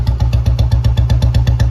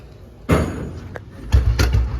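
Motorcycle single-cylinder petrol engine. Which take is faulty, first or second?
first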